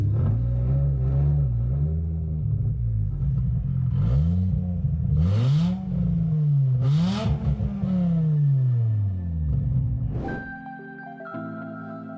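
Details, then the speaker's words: Volvo 850 project car on first parking-lot drive, engine running on a base map with a completely uncorked exhaust dragging on the subframe: loud, raw note swinging through several revs with a rough rumble. "a quick rip up the parking lot with a completely uncorked exhaust it was really refreshing to see the car running and driving after weeks and weeks of hard work"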